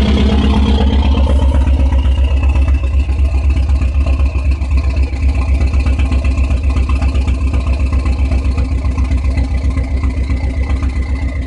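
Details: Dodge SRT-4 at idle: deep, uneven, lumpy pulsing beat about four times a second with wavering loudness; owner asks whether this is a rough idle.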